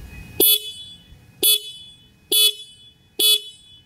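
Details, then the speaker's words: TVS XL100 Comfort single middle-mounted horn: four short bright honks about a second apart, each clean and steady in pitch; normal horn. "Middle లో single horn అయితే ఇచ్చారు. ఒకసారి sound అయితే వినండి."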